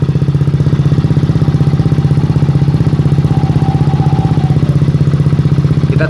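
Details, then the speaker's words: Honda Beat FI scooter, about one year old, that idled poorly and lacked pull; after turning the idle screw three turns it now holds a steady, even idle without hunting, stumbling or dying. Normal idle after adjustment. "nah ini motornya sudah stasioner kawan-kawan sekarang gak mati lagi motornya di sudah enak sudah stationer jadi tiga putaran ini udah cukup stasionernya sudah enak"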